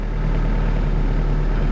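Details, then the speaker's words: Mitsubishi 4G92 after repair for poor acceleration, no idle and stumbling (coil, plug wires, plugs, airflow parts), cold start 7 am; smooth even low idle, no hunting or stumble, should settle about 1000 rpm when hot; normal cold idle. "ดูมาดูรอบมันนิ่งนะคะเดี๋ยวร้อนเดี๋ยวเขาก็ตกลงมาเดี๋ยวประมาณพันนึงนะครับ"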